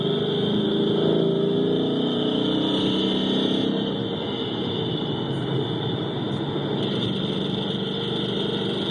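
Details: 2011 Ford Mustang GT 5.0 V8 idling, amplified through microphones on each bank: light, fairly regular ticking knock about four a second over the rumble; owner's car does the same when cold and he suspects piston slap.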